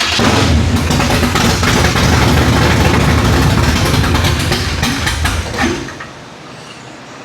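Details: Rebuilt 560 hp carbureted V8 in a flood-damaged Impala, first fire-up on brake-clean priming: loud, lumpy open-header idle with an uneven rhythmic lope from the big cam, then it dies; carburetor found leaking fuel.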